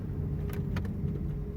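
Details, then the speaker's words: Car previously clunking from passenger-side front when braking and stopping, fixed by replacing worn control arm (horquilla) bushing; braking now gives only low, smooth road rumble, no clunk or knock: normal braking, no suspension noise. "miren vamos a frenar en aire luz ya no se escucha muy bien"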